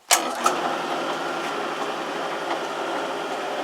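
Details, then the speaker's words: 1 hp heavy-duty drill press with new bearings, after a handle hub repair: quick spin-up to a steady, quiet, even hum with no rumble, rattle or grinding; normal running. "really quiet I think this uh drill press is going to do just great"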